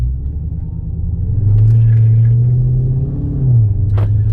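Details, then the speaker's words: Redeye, about 3,500 miles, about 1.5 months owned: engine drone climbs then drops abruptly with a bump on a harsh, weird 1-2 upshift that occurs only after the car has sat for minutes or longer. "only after the car has been sitting a while it does this weird one-two shift"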